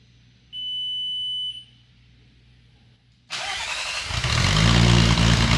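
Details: VR6 engine from a 2002.5 6-speed GTI, front clip cut off the car, started after adding extra grounds (believed the earlier problem) and priming the fuel pump: cranks, catches and settles into steady even idle, no knocks or misses; normal idle.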